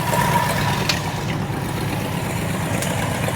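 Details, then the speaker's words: Abandoned 1968 Ford XL, started on starting fluid with a dead carburetor and battery possibly not charging. Low, uneven idle that stumbles and wavers. Fuel filter barely has fuel, just enough to keep it running; fuel starvation. "I know there's fuel in there cuz there's a little bit of fuel. Barely enough to keep it running coming through."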